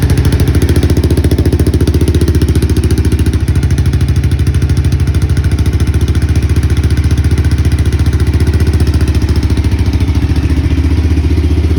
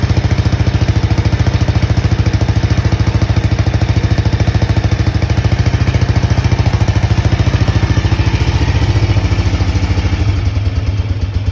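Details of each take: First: Honda XBR500 idling on its worn original mufflers, before replacement: loud, blunt, even thumping with a hard unmuffled bark; worn, too-loud muffler. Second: Honda XBR500 single idling with newly fitted universal Viper silencers (about 6 of 10 loudness): deep, regular thumping at three to four beats a second, steady and even; normal idle.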